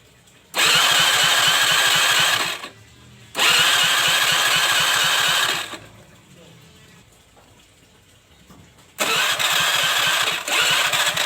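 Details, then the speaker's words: Honda Vario 110 scooter after fitting a new piston and rings, first start: catches straight away and idles in smooth, even bursts with no knocking; the rough noise from before the teardown is gone, kept at low revs for break-in. "sangat halus. Di Sini . Suara berisik yang kasar itu sudah hilang, tidak seperti sebelum saya membongkarnya tadi."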